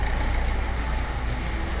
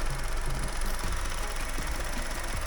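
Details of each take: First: Diesel car engine starting after the fuel system was bled of air, following repair; it catches and settles into a steady, even clatter with no stumbling or cutting out, running normally. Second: Car engine on the ramp, running under load, with short "geek" chirps about every 0.4 seconds over a low rumble; it doesn't happen when cold, and the mechanics suspect a pipe, source not yet found.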